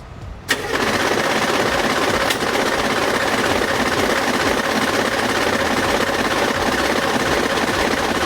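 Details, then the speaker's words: Humvee turbo two-door: starter engages with harsh grinding whir and the engine doesn't catch because the flex plate has sheared again. "anything you want to look and see for that noise you can't look and see the flex plate is sheared again"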